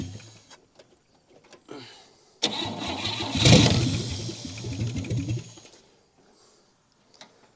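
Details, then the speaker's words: 1959 Chevy Biscayne, long sat in a junkyard, carb leaking, points hot: after the idle screw was backed out two to three turns, it cranks, catches roughly for about three seconds and fades out; hard start from idle speed set too low. "well maybe there's a reason why they had it they had it so far out"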